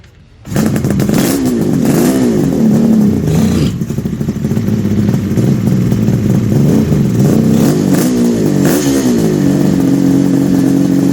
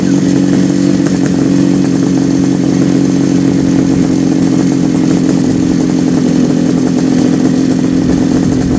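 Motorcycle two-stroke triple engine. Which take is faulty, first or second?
first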